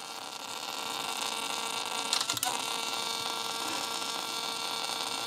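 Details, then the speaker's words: Sony WM-190 Walkman cassette player with a new belt and original spent or leaking electrolytic capacitors, playing tape at maximum volume: heavy hiss with a crackle burst, due to the capacitors and not the cleaned volume control. "Is all because of the capacitors. Volume is to the maximum. And is nothing to do with the volume."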